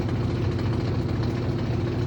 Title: Aurrtech 18 ILB portable washing machine model ￼AU0003 👉 making a loud noises while I’m using ￼￼